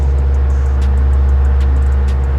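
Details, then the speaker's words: Fan motor on the modified sine wave AC inverter of an ALLPOWERS S200 power station gives a loud, steady low buzzing hum, typical of modified sine wave power. "another weird thing about modified sine wave inverters is that fans will make a weird humming noise usually listen to this"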